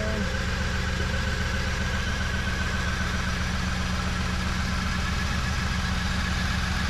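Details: 1994 Chevy Camaro Z28 5.7L LT1 V8 after Optispark distributor replacement and coolant bleed: steady, even low burble at idle, no misfire or stumble; smooth, healthy idle.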